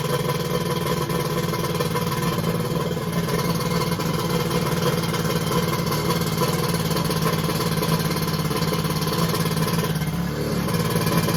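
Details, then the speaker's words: X2 engine, restarted after days of hard starting: even steady drone over ten seconds, no stumbles or misfires; warmed to about 150°F front cylinder, 186°F head; normal running. "i'm gonna see if i can get it going again and run it for a few minutes [Music] [Music] okay it started right up"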